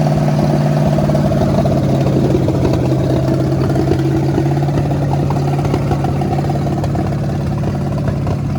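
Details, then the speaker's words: 1973 Mustang Mach 1 fastback V8 revived after decades in a junkyard: steady, even idle sitting a little fast and high, no stumble, running better each start; fast idle, leak suspected internal to the carburetor even after it was taken apart. "It's getting better every time you start. It is. It does. It's It just starts idling a so little fast high. too."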